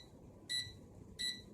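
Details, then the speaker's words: UWING U12S RC mini helicopter remote: two short high beeps about 0.7 seconds apart over quiet background, the transmitter's low battery warning that the battery is going to die. "See, it's telling me the battery's going to die. Yes, yes, I know."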